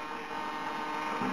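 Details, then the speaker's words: Hobby King 15298 high-voltage digital coreless servo on an Orange R910 receiver with satellites, holding an aileron with a steady high buzz and wavering flutter; jitter throughout its travel, cause under investigation. "If you can hear me above the rattle of the servos, the hum of the servos, watch this aileron. You can certainly hear, if not see, that jitter."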